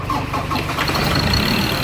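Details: Ford Ranger diesel engine first start after bleeding the injectors: steady diesel clatter at an even idle, no misses or knocks; mic near the engine; healthy idle.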